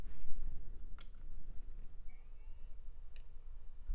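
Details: An 80 GB Seagate hard drive on a USB adapter, spun up in a retro PC teardown: a faint rising whir as the platters come up, then a couple of soft head clicks and settling. It sounds healthy and is detected normally.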